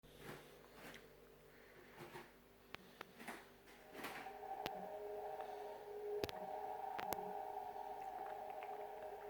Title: Haier fridge weird noise